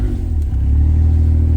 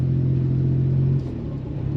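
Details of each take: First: Suzuki Alto Works after a breakdown and battery swap, revved with headlights, fog lights and radio on: smooth rev, deep even drone, no squeal or chirp. No belt squeal under electrical load. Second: Suzuki Alto Works driving: engine drone rises and falls in slow waves every few seconds, possibly worse under heavy load; cause unknown, battery, alternator or loose belt suspected; engine surging.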